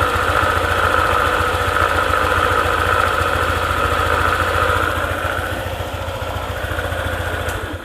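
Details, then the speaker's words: Honda ADV 150 scooter at idle: rough fast crackle about three or four per second from the CVT area, disappears when throttled and returns at idle; cause unknown before disassembly. "Nah, perlahan bunyi krek krek. Nah gitu suaranya, ada krek-kreknya."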